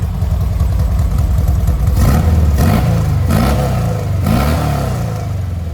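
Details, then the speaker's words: 1970 VW Westfalia flat-four with new Weber 40 carbs and new engine-bay parts, belt just tightened: even burble with quick, clean rev blips; 50 psi oil pressure and 4 psi fuel pressure; runs well. "Let's start it up so you can hear it. sounds really, really good. Those 40s are working really good."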